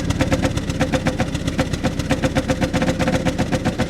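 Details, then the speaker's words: 1993 Pontiac Grand Am, 70,000 miles, at a salvage auction; lumpy idle as one cylinder drops out and returns, temperature gauge rising normally; the owner suspects stale gas but this is not confirmed. "can hear a cylinder coming and going that's rotten gas"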